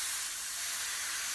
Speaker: and the rim whatever is the air that gets trapped between the tube and the actual tire the outside of the tube and the inside of the tire and that's got to go somewhere so it comes out this valve hole you know you can hear it pissing away